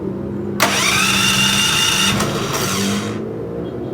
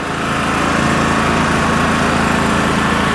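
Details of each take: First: 3000-watt dual-fuel electric-start portable generator: starter whirs steadily for a few seconds, twice, with no catch or firing; won't start with the fuel selector switch in the wrong position, starts once switched the other way. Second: 3000-watt dual-fuel generator with a freezer plugged in: engine briefly feels the load draw then picks it up, droning at steady even speed with no surging or misfires; running healthy under load.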